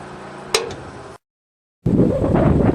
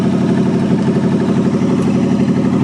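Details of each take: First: 1963 Allis-Chalmers front loader with 1978 Monte Carlo 305 gasoline V8, first start after 5.5 years parked outside: loud uneven starter churning, rough rhythmic pulses, no catch; feels tight, owner unsure if battery connection or seizing engine; crank no start. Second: 1963 Allis-Chalmers loader with 1978 Monte Carlo 305 V8, first run after 5.5 years: steady even low rumble, no knocks or misses, cold but healthy idle under light pump load; normal cold idle.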